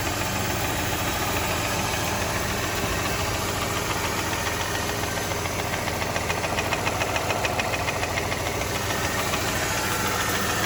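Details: 2007 Mercedes E280 with 3.0L M272 engine built after the balance shaft fix: steady idle with a sharp, fairly regular knock about three to four times a second.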